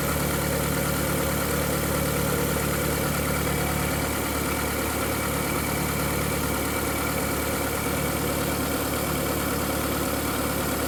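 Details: VW Golf 4 1.6L 16v 105 hp petrol idling: uneven light clack-clack ticking over the hum; whistle at startup disappears after 2–3 minutes, owner suspects clacking from timing side. Clacking noise at idle, source not pinned down.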